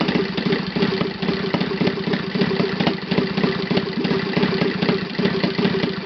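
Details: Saito FA 270T twin model engine on stand, first run after eBay purchase and kerosene cleaning, hand-started: crisp evenly spaced firing pulses at steady low idle, no misses or hunting; normal idle.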